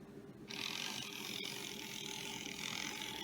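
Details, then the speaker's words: Vintage Varney Dockside locomotive with diecast shell, after cleaning, oiling and adjusting, brush spring tension eased to cut amp draw: steady high whirring with a fine ratcheting buzz, whine from its plastic gears; a hesitation is suspected to come from the drive rods. "you can hear them years later on they made plastic gears"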